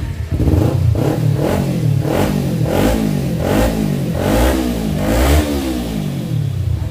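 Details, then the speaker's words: Kawasaki Ninja 250 FI after starter clutch repair fixing intermittent clicking no-start: runs steadily with quick throttle blips rising and falling cleanly; starts and revs normally. "Ini double starter sudah kembali lancar, karena tadi ketika belum diganti itu kadang bunyi, kadang tidak, pokoknya kadang nyala, kadang tidak."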